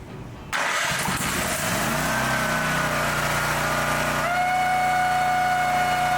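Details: Brand-new Champion EFI generator after flushing out kerosene fuel: cranks and catches quickly, then settles into an even, steady run that picks up a touch in pitch; sounds healthy.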